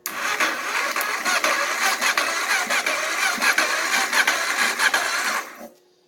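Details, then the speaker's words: Auction Kawasaki (titled 1989 KLR650), starting fluid sprayed into the carb, charger on high (charger couldn't cope): ragged, uneven firing for about five seconds that chugs then dies. It has spark and fires on starting fluid. "Alrighty, guys, so, she has spark. She fires over."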